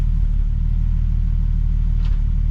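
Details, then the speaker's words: Nissan 370Z at idle after new valve cover gaskets and new spark plugs, with anti-seize on the threads. Low rumble with an uneven, stumbling pulse and occasional dropped beats; it is still misfiring after the repair, cause unclear. "you hear that and i think this [ __ ] is still misfire i don't know if you guys can hear that yo let me oh this is still misfiring bro"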